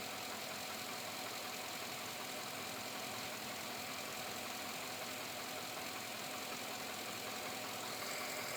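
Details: 2007 Chevrolet Avalanche V8 at about 86,000 miles, at idle: steady, quick, even light metallic tapping. The owner asks whether it is engine knock or piston slap, and it remains unresolved after four dealer visits.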